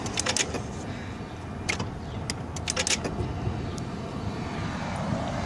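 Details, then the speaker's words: 1995 Mercedes S600, throttle actuator (E-gas) control unit test, unit inserted not fully flush: sharp clicks and brief whirs on each ignition cycle as throttle linkage and secondary throttle body activate; actuators working normally. "you heard it four or five times i activated the ignition so i'm activating this throttle linkage and secondary throttle body activates"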